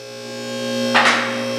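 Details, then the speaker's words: 2200 lb electric-over-hydraulic ATV/UTV lift table on 120 V: steady pump hum as the table climbs, then a sharp metallic clack as the safety locks drop into place; normal lock engagement. "there's the locks and then you set it down on the locks and that's it you can't go down from here because it's sitting on the locks"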